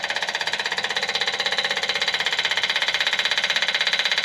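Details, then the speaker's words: Long-shelved electric pulse fuel pump priming a $300 Small Block Chevy 350 on a DIY engine run stand before first start: rapid, crisp, evenly spaced ticking at a steady rate with nothing underneath; the pump works normally. "so the first thing we need to do is does that clicky clack even work it's been sitting on my shelf forever oh yeah see if it changes"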